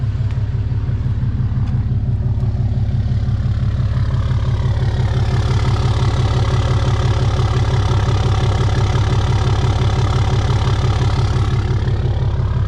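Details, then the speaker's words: Deleted Ram 3500 diesel truck, turbo replaced in October; off throttle with jake exhaust brake engaging, deep even diesel thrum with rising turbo whistle; normal exhaust brake operation. "So when you let off of this thing, you can really hear the turbo on it now when the jakes kick in."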